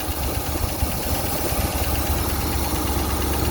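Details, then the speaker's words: 1965 Ford Thunderbird V8 at idle: smooth steady idle, no vibration, with a faint quick light clack from the front of the engine, only at idle; engine tick, cause unknown, some smoke on acceleration noted. "On entend un tout petit claquement. Au ralenti seulement. Oui, il provient plutôt vers l'avant du moteur."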